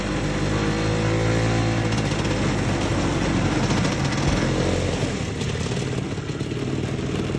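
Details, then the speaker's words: Old Tradewinds Tiger snowmobile, believed 1969, running after revival with carb tuning still needed: single-cylinder two-stroke buzzes at a fast steady beat with no knocks or misses; runs good and evenly. "well this is a fun little slud it runs good it sounds good A little bit of carb tuning still needs to be done"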